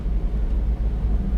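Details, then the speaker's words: Suzuki mini dump truck, small petrol engine, fifth gear with AC on, climbing steep hill at about 24-25 km/h: steady low drone under heavy load, picking up speed without stumble or knock; healthy engine under load. "it is picking up speed. So this does pass our test. Easy. Fifth gear."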